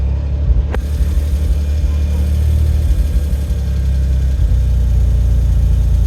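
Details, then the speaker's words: Autozam AZ-1 (Suzuki Cara) running the Keisport ECU after new fuel rail, cleaned injectors and regulator: steady low idle with an even beat after a brief blip, no hunting or misfire; smoothest idle yet, normal. "You know, if anything, that looks smoother. I think that's the smoothest I've ever seen my keisport idle."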